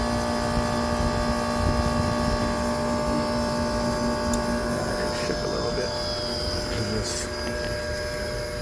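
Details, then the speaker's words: Homebuilt heat pump in a Carrier cabinet with added variable frequency drive and compressor, controller powered from 24 V: loud steady electrical hum with several fixed tones; working as intended but noisy, source unclear, DC bus voltage drops at startup. "it's actually technically doing what I'm supposed to be doing it's just noisy"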